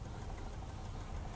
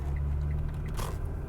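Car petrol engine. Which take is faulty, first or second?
first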